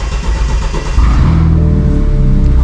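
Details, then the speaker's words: 2016 BMW 428i xDrive (F32) with N20 engine, just after fuel pump replacement and fuel code cleared; starter catches within a second, settles into an even low rumble; normal start. "That is completely normal for it to do that. car is good."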